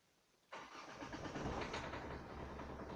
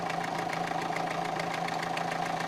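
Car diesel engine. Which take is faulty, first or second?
first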